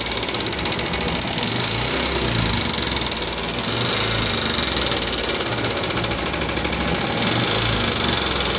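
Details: 2014 Yamaha Jupiter MX carburetor model with a rough-sounding engine: a fast, sharp metallic "kletek-kletek" ticking rides steadily over the idle, keeping time with the engine; a top-end tick, cause not yet pinned down.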